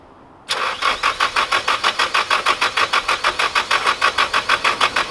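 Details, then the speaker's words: Nissan 240SX that previously would not start, in about 30°F weather: starter cranks at a steady beat of roughly three per second for five seconds, engine never fires; starter ruled out as cause; crank no start. "but it's not the starter because we want to crank at all this does crank it just doesn't turn over"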